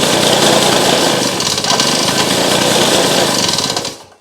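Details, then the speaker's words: Victa two-stroke engine on a restored go kart, rear wheels off the ground, throttle held open after priming the carburettor: loud, raspy buzz runs steadily about four seconds before cut-off; first proper run after it ran poorly previously, clutch still grabbing slightly. "Well, there you go, folks. She's alive"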